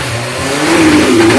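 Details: 1986 Yamaha FZ600 four-cylinder, first running after 15–20 years sitting, fresh oil, newly fuelled carbs: rough but running, revving up from a lazy idle with pitch rising and holding steady; it has fired and runs.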